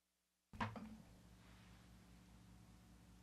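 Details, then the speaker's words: Parts Express 240-398 line matching transformer number three, after reconnecting its cable shield that was previously unconnected and hummed badly: one connection thump, then only a faint steady low hum, possibly room noise; clean and quiet now. "a lot better here in a little hum oh pretty darn good or maybe that's just a room noise"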